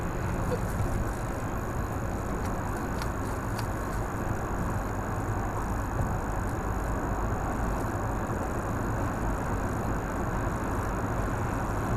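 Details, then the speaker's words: 2017 Nissan Altima SV with the 2.5 L 179 hp engine and CVT, driving under light throttle: a steady low, dull groan over an even engine hum with no knocking. The owner is unsure whether the CVT causes it. "I do notice when you hit the gas, it's kind of like a groaning sound, like, I don't know if y'all can hear that. I'm not giving it a lot of gas, I'm just, giving it a little bit. It's like a groan sound."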